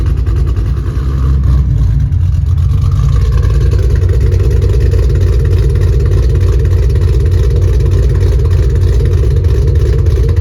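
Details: Ford Mustang GT 3V 4.6 V8 accelerating after a new engine, clutch, flywheel and headers install: a loud deep exhaust rises and settles as it pulls away, smooth and even with no knocks or misses. Normal, healthy running and the clutch feels smooth.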